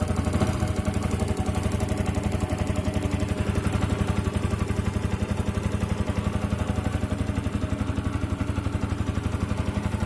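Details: Yamaha R15 v2.0 engine settles into a steady run with a ticking clatter about four times a second over the exhaust; abnormal engine sound problem, source unknown.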